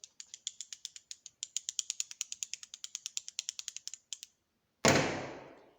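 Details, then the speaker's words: Old clutch throwout bearing from a 1972 Firebird four-speed, grooved and wobbling, spun by hand: dry ratcheting click about seven a second from worn races; owner thinks it caused the noise, replaced. "this is the old one had that Groove all the way around it but I want you to listen to this thing I think this might have been some of my problem that thing wobbles all over the"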